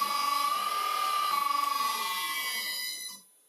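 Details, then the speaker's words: Second-hand motor run on an old VFD for a vintage Karger lathe and sped up through 100. A high steady whine with a fast pulsing wobble shows vibration at speed, cause unknown. "There's a little vibration when you speed it up. You can probably hear it."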